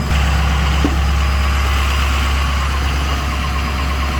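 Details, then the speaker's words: Truck after about 15 minutes warming in 12-degree weather, oil 144, coolant 136, transmission about 80 degrees; steady, even idle with a low, smooth drone, no knocks or misses, ready to drive. Normal warm idle. "Alright, so it looks like we've gotten up to 144 degrees on oil, 136 on coolant, and about 80 on the tranny. So yeah, we're good to go, man."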